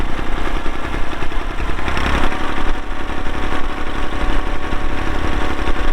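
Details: 1990 Massey Ferguson 231 tractor, 2WD, MF232 loader, Perkins diesel, 2,898 hours, started on a cold day. Steady low diesel chug at idle with an even beat and no knocks. Normal idle.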